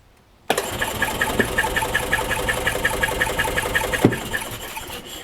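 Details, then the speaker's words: 2005 Club Car Precedent gas golf cart, crankcase found filled with gas and oil, cranked in service mode for dry compression test: even, steady cranking with no skips or knocks, reading about 140 PSI; cylinder walls not rinsed down, healthy compression. "All right, so that's good news. The cylinder walls are not rinsed down. We're at a little 140 PSI. That's pretty good."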